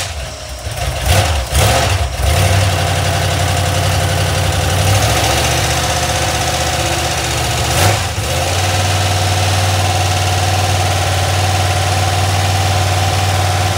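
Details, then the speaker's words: Iron 5.3 LS LM7 V8, believed 2002–2003, mileage unknown, likely BTR Stage 2 truck cam, on a run stand on first start; lumpy idle with fast light lifter ticking from unprimed lifters, one bank smoky. "the valve train sounds a little noisy you could probably hear it on [Music] camera"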